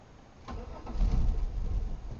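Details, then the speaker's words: 1997 Chevy Malibu cranking in uneven bursts for about two seconds but never catching, security light flashing, about three gallons of fuel in tank, faulty ignition tumbler; owner suspects anti-theft fault; crank no start. "and it's just not wanting to do anything and every time we try to start it that's what happens"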